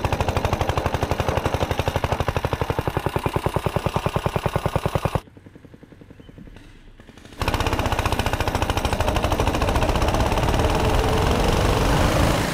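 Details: Tecumseh 6.5 hp go-kart engine after carburetor remount and freed-up air filter, on-track full throttle: fast even single-cylinder buzz, brief drop off throttle, then pulls hard and clean; running properly.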